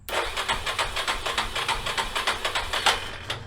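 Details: 1989 Yamaha Moto 4 YFM350ERW single, first start after head repair with the carburetor tapped to stop a leak; rapid, uneven cranking around 3 beats a second that never catches; it starts right up once the choke is turned on.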